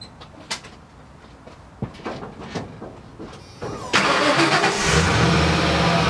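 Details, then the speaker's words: 1994 Ford F150 long-bed, 5.0 V8, 5-speed manual, under 118,000 miles, cold start after sitting about 24 hours: quick cranking clicks, catches cleanly, settles to steady even idle; only water vapor from exhaust, no smoke. Normal cold start. "you see there's water vapor coming out, no smoke. That's a cold start. Just normal water vapor. No smoke filling up the neighborhood."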